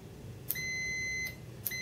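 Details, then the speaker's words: Relay with a 5 V coil on a breadboard, tested with a continuity meter. Two clean high beeps, each following the click of the relay tripping, show the contact closes when the coil is energized. "the pin i click predictively closed when the relay trips make sure everything's still right here there we go"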